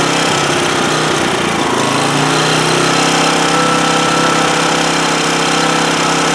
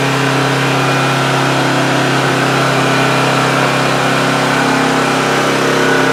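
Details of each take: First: 2008 Homelite GC1800A 1800 W portable generator that only runs on choke: the small engine roars loud but uneven, hunting before settling, running best at half choke; fuel flow through the cleaned carburetor is inadequate, a lean condition. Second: Homelite GC1800A 1800-watt generator from 2008, running about 10 minutes with the choke wide open after the carburetor pilot jet was opened up: smooth, steady drone, previously only ran on choke. Normal running.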